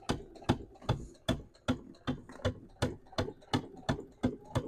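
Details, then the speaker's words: Sewing machine stitching bulky fuzzy fabric layers for a sunglasses case: sharp needle clicks about two and a half per second as it labours through the thick layers. "you hear that clicking my needle's like I hate you"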